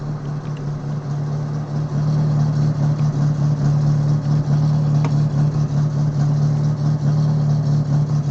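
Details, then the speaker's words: Summer car, cold start with new radiator not yet filled with coolant: low, lumpy idle with an uneven beat and two or three stumbles a second, still misfiring after new spark plugs; owner suspects timing set wrong during last engine rebuild. "so i just ran into an issue my car i just replaced spark plugs and it still misfires so here i'll let you hear it"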